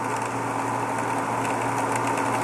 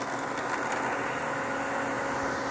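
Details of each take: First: Variable-speed pool pump ramped up to 2750 rpm: steady motor hum with a gravelly, rock-chewing rattle from cavitation (suction starved, impeller clear); the noise vanishes once the spa drain is opened. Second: Variable speed pool pump dialed down to 2,600 rpm, about 48 gallons per minute, after cavitation at 2,750 rpm: steady, even hum with smooth rushing water and no gravelly rattle; normal run without cavitation.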